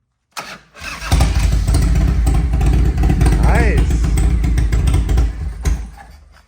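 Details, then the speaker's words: 1993 Harley-Davidson FXR-S with S&S 82ci V-twin, under 30 miles since restoration, cold on choke: catches after a brief crank, then a lumpy, uneven low beat that stumbles; cold-blooded rough idle. "it definitely cold blooded"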